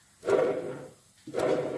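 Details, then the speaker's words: Stiga (Canadiana) Park 2000 1980s mower tractor rebuild, bearing spun by hand: two short spins giving a gritty whirr that fades as it slows, worn bearing making noise. "you can hear that bearing it's making a little bit of noise"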